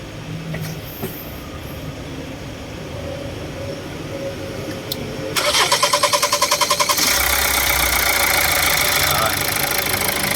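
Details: 2013 Hyundai Santa Fe CRDi diesel with a hard-start complaint, after replacing the leaking fuel return line O-ring: quick cranking then prompt catch into a steady diesel idle; starts promptly, leak gone.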